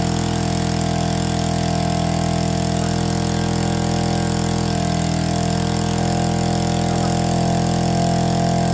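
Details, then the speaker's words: APC mini chopper, small two-stroke, started using the primer (no choke) on a questionable battery: a steady, even buzzing idle at constant pitch with no hunting or misses. Healthy normal idle. "on lives and idles it's official we could totally ride this in the snow it'd be super safe as well"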